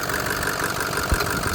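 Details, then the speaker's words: 2006 Ford F250 King Ranch FX4, 6.0 Powerstroke diesel, 129k miles, one owner, dealer maintained, bone stock; zero blow-by, no head gasket issues, no upper radiator hose pressure. Steady, even diesel idle with a low rumble, no knocks or misses; nice smooth, healthy idle. "Nice smooth idle. Sounds healthy."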